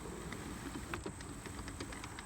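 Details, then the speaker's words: Newer Hart 40V self-propelled lawn mower (HLPM06) pushed by hand with drive motor always engaged: light, uneven clicks over a low rumble as the back-driven motor spins, adding resistance to pushing. "with the motor always engaged pushing and pulling this is spinning the motor so it's not an easy movement like this i think you can hear the motor clicking"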